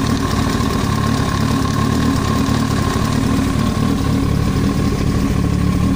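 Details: Yamaha YZF-R1 at idle: a fast, steady tapping knock over the exhaust beat that stays even throughout, an abnormal noise in the engine head (top end).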